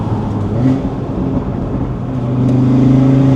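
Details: Audi RS3 2.5-liter five-cylinder with a Unitronic tune: the note climbs with the revs and opens into an even, throaty growl at high rpm with no rattles or misses. A normal exhaust note with the engine pulling cleanly.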